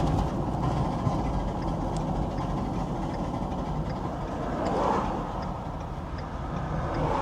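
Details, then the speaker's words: 2015 Ford F250 salvage supposed flood car, while driving: steady road and engine drone with irregular knocks and flapping underneath, something loose flopping around; source unknown. "Yeah, something's flopping around down there. Don't know what it is."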